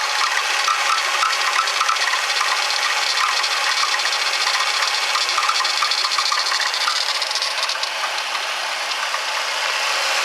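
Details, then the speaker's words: Ford Taurus, owner suspects blown head gasket, hot after idling with coolant bubbling from radiator into overflow bottle: short repeating chirpy squeaks over hissy splashy idle; serpentine belt squealing, wet from coolant splashing out of bottle. "That noise is the belt. It's got water on it, splashing out the bottle. But that's not supposed to do that."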